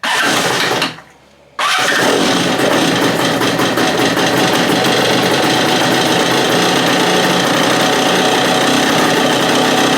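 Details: Free stand-up two-stroke jet ski after fuel-line drilling repairs, started on choke with the idle turned out: a harsh, uneven buzz that stumbles after a brief stall and restart, still rough and bogging. The owner later suspects the case vacuum line was misrouted.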